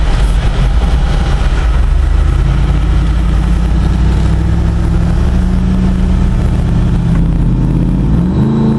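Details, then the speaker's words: Jeep JK Wrangler with 480 hp Corvette LS3 V8, automatic, 40-inch tires: deep strong roar climbing steadily under full throttle to around 7000 RPM with a gear change near the end, 0-60 about five seconds; healthy wide-open-throttle acceleration. "I'm not really sure where it stops pulling but it's definitely around 7000 RPM 0-60 on this Jeep now is about five seconds"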